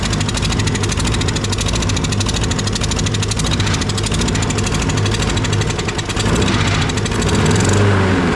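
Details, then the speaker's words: Toro 22-inch Recycler 20332 mower, Briggs & Stratton Quantum engine with auto-choke, run with the air filter off: choppy surging running with stumbles; mud found in the air filter, owner suspects water or dirt in the fuel or carburetor. "I bet you he got water in his fuel or in the carburetor there's something funky going on here and we're going to find out what it is"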